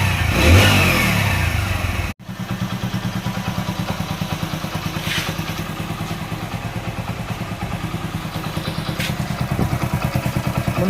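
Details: Hero Splendor Pro engine before its rebuild, after rough use, with an uneven, heavy thumping idle of about three beats per second and loose clatter; worn engine with carbon-fouled valves.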